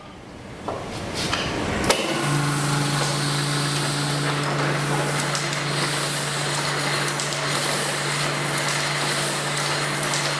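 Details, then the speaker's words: Old Heidelberg printing press running belt-driven at slow test speed: steady motor hum with even mechanical clacking about four times a second; machine running normally. "it's set at a slow speed just right now, because we want to test each bit as we go along. But motor's working, driving it, you can see the basics of the machine"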